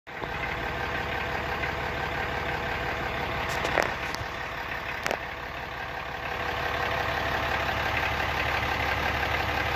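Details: Brand new 2018 Ram Cummins 6.7 diesel idling: steady light metallic rattle riding over the normal clatter, about three beats a second; cause unknown.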